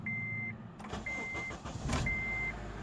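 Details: 2007 Acura TSX 2.4L VTEC with code P1009, started after an oil change with Mobil 1 5W-30 and a new filter fixing a filter oil leak: chime beeps over the starter, engine catches and settles into even idle; normal start.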